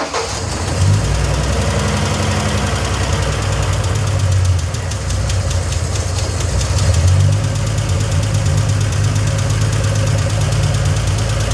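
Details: 1971 Triumph TR6 six, running after sitting disassembled 20 years. Uneven rough idle with a busy, fast metallic clatter. The rocker tops get no oil, and the rocker shaft sits askew with a big air gap at the front, so the rockers bind.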